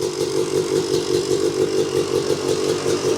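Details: 1986 Yamaha YZ250 two-stroke, not run since 2015, reeds cleaned, first start on a borrowed carb from a 1975 250 MX, choke on. Idles with a quick, fairly even beat of about 160 a minute, no knocks or rattles: normal two-stroke idle.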